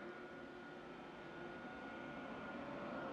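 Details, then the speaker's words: IQair Compact air purifier 10 years old, its seized motor replaced by an inline centrifugal fan pulling air through two filters, first start at full power: a soft, even airflow hiss with a whine building as it spools up, no rubbing. Runs normally and quieter than the original. "this is actually quieter than the original iqr machine was"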